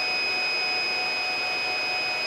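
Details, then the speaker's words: Free Supermicro server, dual socket 771 on X7DWN+ motherboard, Xeon 5420 2.5 GHz, one redundant power supply dead: unbroken high-pitched alarm beep over soft fan rush at power-on, flagging the redundant power supply failure. "quite annoying the beeping so let's go into the BIOS to see"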